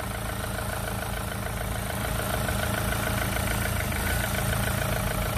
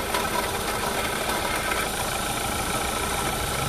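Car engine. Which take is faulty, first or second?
second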